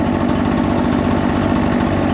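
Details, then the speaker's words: Two-stroke small engine loading up with excess fuel after throttle is applied: fast, slightly burbling idle with a soft uneven flutter, running a little rich as the excess gas begins to burn off. "Now we can hear that it's running a little bit rich."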